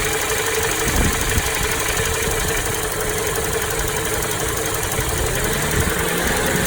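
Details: Toyota Noah 60-series at idle with wind noise. A fast, loose rattle, not a ticking, comes from the middle of the engine rather than the alternator side and is louder inside the cabin. Flushing and an oil additive brought no change; source not pinned down.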